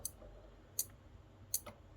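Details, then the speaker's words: Elegoo Arduino starter kit relay driven by Arduino code with a 750 ms delay: sharp, crisp clicks at an even beat, about three in two seconds, in a quiet room, the relay switching rapidly on and off. "there you go so you can see that that fast switching okay nice that was quite obvious actually i don't know why i didn't see that happening"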